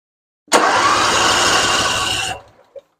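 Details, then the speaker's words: Husqvarna RZ46i zero-turn mower after solenoid replaced and bad ground from self-tapping screw cleaned: engine catches immediately on button, runs steady and even two seconds; clean, healthy start. "You can see she fires right up. So, what we're going to do today is now starting. We got the solenoid replaced."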